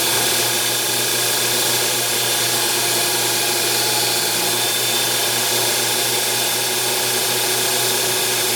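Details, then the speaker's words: Small CNC lathe boring a milling-machine spindle pulley. A steady, harsh ringing scream over the spindle hum is boring-bar chatter on the light finish pass at the end of the operation. "So the boring turned out, it was going really good until the very end. Focus. Where I got wicked chatter on the finish pass."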